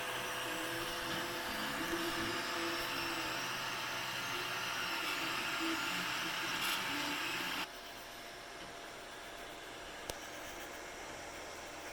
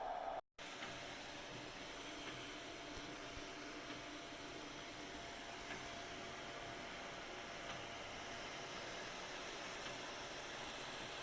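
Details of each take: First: Anycubic i3 Mega 3D printer on stock drivers before silent mod: loud, shifting musical stepper-motor whine the whole time it prints, over steady fan hiss. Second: Anycubic i3 Mega after silent stepper driver and quieter fan mod: soft steady fan whoosh with faint hum, no stepper whine or clatter, only power supply fan audible; printer now runs quietly.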